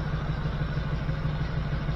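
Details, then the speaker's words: 1979 GMC C15 with LS swap, after replacing three injectors to fix a P0300 misfire and now firing on all eight, at idle: a light, even tick about six times a second over the rumble. The owner thinks parts are still settling; the source is unconfirmed. "Still hearing something though. What am I hearing? I don't know. It's probably just getting everything set back in good."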